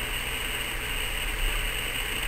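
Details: Uniden BC796D scanner: constant harsh hiss and steady buzzing tone with no gaps. The squelch opens on P25 data-channel noise; the owner suspects the P25 system was changed in May 2011.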